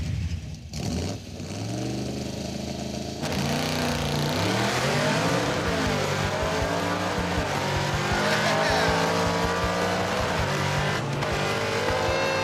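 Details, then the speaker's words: '56 Chevy drag car, hard launch on cold track: engine note climbs, then ignition suddenly cuts out mid-pull under load; rewiring fix failed to stop the ignition completely shutting off. "Oh, it shut off! Ah, did you hear it cut out? It totally cut off."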